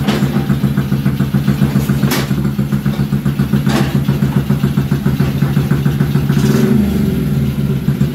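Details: Kids' 50cc mini chopper single-cylinder engine idles with a loose, slightly uneven putter of about three to four beats a second; owner suspects a filthy carburettor, not confirmed.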